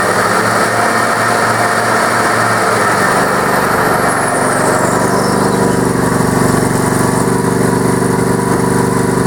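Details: Yard Man tractor with a 20 hp Briggs Intek V-twin, running on a booster pack with no battery: a steady, even V-twin drone with a smooth firing beat and no knocks or misses. The engine runs healthy.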